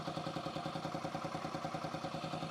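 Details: 2008 Yamaha XT125R Big Wheel single, stored 12–15 years, carb cleaned, new battery: quiet, steady tick-over, even pulses about five a second, no knocks; normal idle during alternator voltage check.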